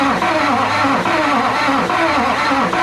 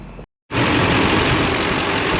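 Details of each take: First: 2005 Chevy 2500HD 6.6 LLY Duramax turbo diesel on a cold day after head gasket replacement and reassembly, cranked by jumping the starter: slow, labouring crank with about one heavy compression pulse a second and no firing, from weak Interstate batteries; slow cranking. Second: 2005 Chevy 2500HD LLY Duramax 6.6 turbo diesel after head gasket replacement, no codes, good oil pressure, recorded outside: strong even clatter at steady idle, no misses or knocks; runs healthy.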